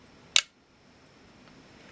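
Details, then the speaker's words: Olympus XA2 35mm film camera, shutter fired with bright light on the meter sensor. One sharp, crisp, very fast click with no drag; shutter and metering work normally. "And there we saw the shutter operate. So that seems to be working."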